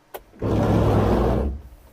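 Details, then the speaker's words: 1992 Subaru Brumby on an electrical check: switching on the wipers gives a short, coarse one-second whirring burst as they sweep, rough and loud for a wiper motor; harsh wiper motor noise. "Oh goodness, that was a bit painful."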